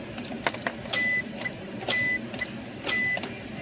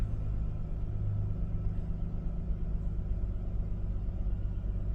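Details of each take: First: 1998 Isuzu Rodeo: sharp single clicks about once a second with no cranking. The starter throws out its bendix gear, but the starter motor will not spin. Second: 1998 Isuzu Rodeo idling after starter motor replacement for a no-crank fault: low steady idle rumble with even beat, no misses or noises, engine running normally.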